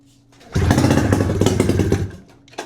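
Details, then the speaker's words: 600cc two-cylinder two-stroke snowmobile engine on a go-kart, long sitting, cracked cylinders repaired, bad fuel, oil reservoir added, pull-started: a loud ragged burst of uneven popping for about 1.5 s before dying, a stumbling first fire. "We had bad fuel and a bunch of things wrong, and it still kicked over. So, I'm going to keep pulling it and see if we can't get it to stay kicked over."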